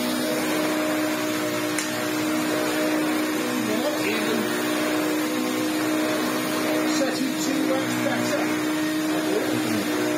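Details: Electrolux Turbomatic Z380 vacuum after the brush roll was reseated because it was stalling; it has a stiff new brush strip. Steady motor drone with an even hum for ten seconds, no dips or stalls. The brush roll now runs normally.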